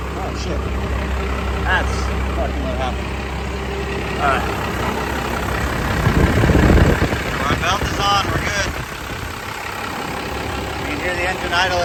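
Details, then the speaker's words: Second-generation Cummins diesel truck at cold idle after belt tensioner replacement: steady low diesel rumble with even clatter, no squeal or chirp from the belt drive; runs fine. "up now it's cold obviously but I think we're good to go"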